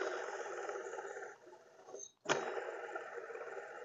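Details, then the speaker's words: 2012 Honda Pilot, serpentine belt removed, pulley spun by hand, mic close: dry rough rasping whir from idler/tensioner pulley with play; worn bearing behind deep humming on morning start. "weird it just had a weird sound like a humming also great deep humming"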